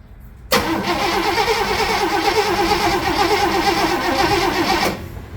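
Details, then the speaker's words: Rambler with 327 V8 and no battery installed, jump-started with the slower-cranking jump pack: sluggish, uneven cranking under three beats a second for about four seconds without firing; pack lacks current. "kind of slow starts it kind of kind of makes me nervous sometimes especially when things are cold"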